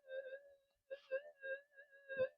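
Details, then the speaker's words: Minelab SD2100 metal detector with figure-eight coil, repaired and upgraded after it stopped working, gain turned full near AC wiring; steady mid-pitched threshold hum broken by warbling bursts of mains interference, now sounding normal. "I think that's turned the game full there we go so it's a bit it's a bit noisy you can hear it now now it sounds more normal with the um punches of um the AC um leakage and so forth just coming through"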